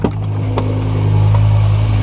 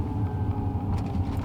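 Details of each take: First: Used BMW M5, after a rough-running engine malfunction. Earlier the engine was cycling as a reading dipped below and above one; now it starts fine and settles into a steady, even, healthy idle. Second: Used BMW M5 that had no problems for two years ran fine, then suddenly started up super rough: a deep, uneven, lumpy idle. Owner suspects O2 sensors and later a low battery; cause unconfirmed.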